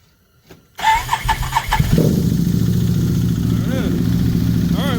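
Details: 2013 Can-Am Maverick 1000 cold start after rotating the slotted cam part to fix slow cranking when hot: brief crank, catches in under two seconds, then settles to a smooth, even idle with steady low pulses. Healthy cold start.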